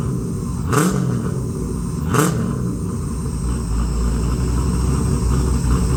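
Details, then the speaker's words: XG ute, converted from carby to Holley EFI, first start: a couple of short bursts as it catches without throttle (idle screw turned up), then a steady low rumble settling into an even idle; normal start and idle. "all right very happy to hear it run on fuel injection um after I uh gave it turn the idle screw up a fair bit it uh fired up without touching the throttle"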